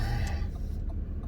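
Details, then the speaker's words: Volvo FH4 truck diesel with about 100,000 mileage at idle, engine temperature normal: deep rumble with irregular sharp knocks, resembling early ignition on one cylinder; diagnostics show nothing, bottom end doubted; intermittent knock, cause undetermined. "и стучит вот именно вот вот этот звук, он чисто напоминает вот как вот раннее зажигание на одном из цилиндров. Вот как будто на одном из цилиндров происходит раннее зажигание."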